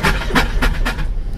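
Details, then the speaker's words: Subaru Ace M70 kei car cranking with choke after rewiring; timing is uncertain, giving uneven, labored chuffing bursts; owner suspects it is out of time. Oil is well over full, possibly water from a head gasket. Abnormal cranking noise, cause unconfirmed. "Oh, what the fuck? That doesn't sound good. Why does it sound so fucked up? That's weird. It actually sounds like it's out of time or something."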